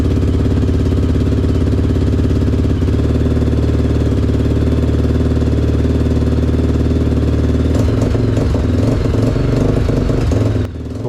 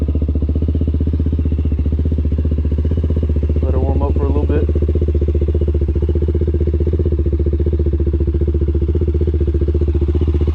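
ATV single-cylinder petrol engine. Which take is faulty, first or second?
first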